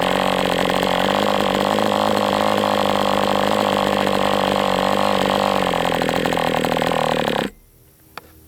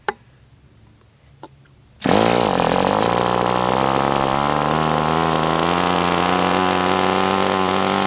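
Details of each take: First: MDS 68 FS Pro four-stroke model engine on break-in runs with 11x8 prop; high, steady buzzing run at speed with a slightly soft, uneven edge before cutoff; high-speed needle still slightly rich, tweaked another 1/8 turn. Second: MDS 68 FS Pro model engine on a break-in run, warmed to operating temperature but still tight with a high pinch: it catches and holds a smooth, steady, high-pitched run with no misses. Normal running, better than with the idle bar plug.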